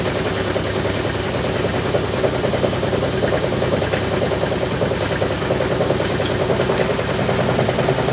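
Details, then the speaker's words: Side-door (front-load) washing machine during spin, loud constant rumbling clatter with rapid rattles about three per second; violent drum shaking traced to badly set feet. "penempatan kakinya yang salah sehingga menyebabkan getaran kayak diawal tadi kayak yang video dikirim oleh Orangnya tadi kita lihat di awal ya"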